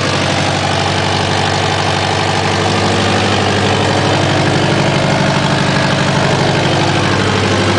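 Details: Subaru WRX at steady idle with a sharp, rapid puffing tick on every firing pulse; awful exhaust leak.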